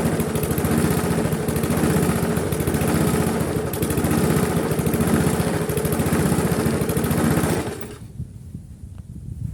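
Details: Briggs & Stratton Classic engine on a GGP (ex-Castelgarden) mower, previously kept stalling, after carburetor work: chugs at steady low speed and never picks up before cutting out; no longer stalls but won't rev from slack governor springs.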